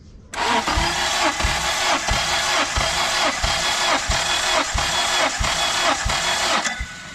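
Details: Stock turbo K24 engine, suspected broken after hard run and smoking, compression test underway with low readings on some cylinders: starter cranks at an even beat about ninety a minute with no obviously weak strokes.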